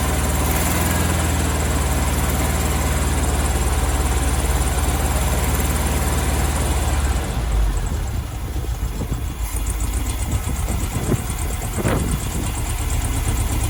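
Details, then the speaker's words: 1972 VW Beetle 1200 warming up after its first start in two years. Lumpy, uneven idle with a stumbling beat and a later backfire pop; cylinder two is not firing properly, and owner suspects a mangled spark plug. Cylinder misfire. "so cylinder two this one's not firing properly what's the backfire so yeah cylinder two is not working i'm not firing properly"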